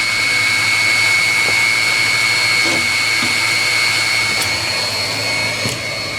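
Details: 16 kW Chinese diesel water heater used as an engine-block-style preheater to heat a cabin. Steady, high-pitched blower whine over an even roar, with no surging or knocks. Running normally.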